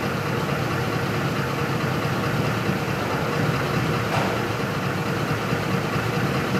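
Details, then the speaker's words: 2004 Ford F-150 5.4L that stalls when hot, codes P0191 and P1233, fuel pump and rail pressure sensor already replaced: lumpy, uneven idle at about 9–10 psi rail pressure; faulty fuel pump driver module. "fuel pump driver module faulty runs like crap I'm going to hit the gas yeah fell flat on its face"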